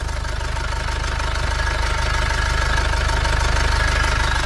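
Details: 2005 Nissan Xterra with MWM Sprinter diesel swap, steady idle about 214 beats a minute with a light crackle over the low thrum, heard at the turbo heat shield; crackling noise at idle.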